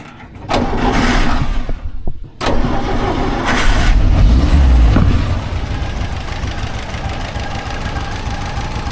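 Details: 1954 civilian Jeep after new points were fitted and the dwell adjusted by backing off the outside points screw. A brief crank, then it catches and settles into a steady, even low idle with no misses. Dwell now reads about 36, the minimum.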